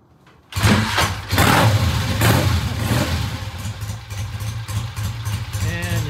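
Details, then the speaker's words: Original-paint 1966 Triumph, carburetors tickled before a test ride, fires on the first kick and settles into a lumpy but steady idle; a normal, easy start. "all right we've uh tickled the carburetors they're very happy do a start"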